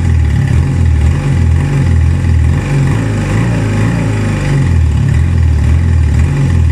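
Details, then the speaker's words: 1978 Honda CB250T twin after work on it: it previously would barely start and fell flat and sputtered on throttle. Now it picks up cleanly on each blip and settles back without stumbling; normal revving. "before this it didn't even want to start and when I hit the trolley would just like fall flat on its face you will hear it like sputtering but now I'm able to get it from revs"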